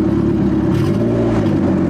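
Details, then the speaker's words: 1995 Acura Integra turbo, new head, aftermarket cams, misfiring cylinder suspected from valve lash, after repair: steady even idle with clean rev settling smoothly, no stumble; misfire fixed, run briefly without coolant. "neutral there we go that sounds so much better"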